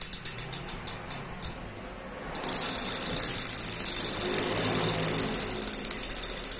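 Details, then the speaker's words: Cannondale rear hub after the freehub was upgraded to bearings, cleaned of silencing grease and oil, with a new spring fitted, spun: spaced clicks, then a fast crisp ratchet buzz. Healthy pawl engagement. "Beginilah, kita akan mencoba memutarnya, dengarkan suara renyahnya ."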